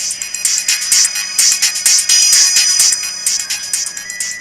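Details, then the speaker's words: Pioneer DEH-80PRS car head unit under repair, playing a CD. This output gives only thin, tinny highs with no bass or mids, where the full band played earlier; the output is high-passed by the network crossover mode setting. "Et là, on entend, il n'y a que des aigus. Tout à l'heure, on avait toute la bande fréquence qui fonctionnait."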